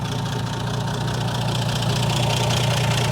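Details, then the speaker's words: 1980 Plymouth Volare slant six that sat for years, just started easily without pumping the gas: steady low idle with an even, smooth beat and no knocks or misses. Normal idle, just purrs. "I mean, it's kind of hard to beat a slant six. It just sits there and purr. I mean, how can you beat that?"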